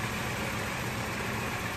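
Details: Toyota AE86 4A-GE engine idling smoothly and evenly with a soft steady purr, no misses or ticks, after setting base timing to 10° BTDC in diagnostic mode and idle adjusted toward about 800 rpm; ECU advances to about 16–17° BTDC; healthy idle.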